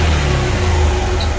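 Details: Bajaj CT motorcycle after engine rebuild (new piston and rings, old piston damaged) with silencer refitted: smooth even single-cylinder exhaust note at steady revs, no ticking or knock; problem solved.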